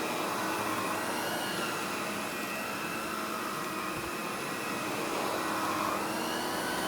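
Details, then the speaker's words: Mid-1990s Electrolux Epic 6500 SR canister vacuum power nozzle: steady motor rush with a high whistle whose tone changes as the nozzle is pushed down and the wheels pop up. A normal quirk of this power nozzle. "See, when I push down, the wheels will pop up, and you definitely hear the tone of the whistle kind of change."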